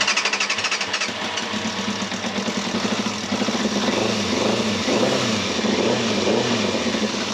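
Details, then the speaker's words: Yamaha Thundercat 600 with flooding carbs, long off the road: the engine runs a bit ragged after a rough start, with a fluttery puffing edge on the exhaust. A blow from the exhaust is suspected, not confirmed. Exhaust blow at idle. "there is a say it sounds like there's a blow from the exhaust as well so we'll have a look at that"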